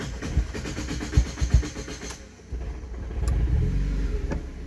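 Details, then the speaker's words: Mazda MX5 on a Speeduino ECU, ignition fixed at 15°, 1 s fuel pump prime and 3 ms injector prime squirt, after sitting: slow, uneven cranking with irregular chuffs, stumbling into a lumpy struggling idle after the key was released early; rough hard start. "mmm.. let's call it a win but a weak one. True that I released the key early and it kept fighting for its life, but this was crappy."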